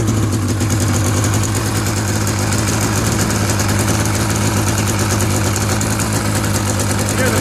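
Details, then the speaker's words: Fuel-injected snowmobile with new spark plugs and a clean engine: a steady, even idle drone with no misses, stumbles or kicks, a healthy idle. "motor's nice and smooth, there's no weird kicks or anything. It's got new plugs in it."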